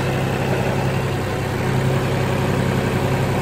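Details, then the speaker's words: 2003 New Holland TC29D compact tractor diesel, after sitting three years, now serviced with new oil, oil and fuel filters, hydraulic hoses and fluids; even steady idle clatter, no misfires, knocks or hunting, good temperature; healthy idle. "not sure where they are anyway but uh burn like a kitten good temp"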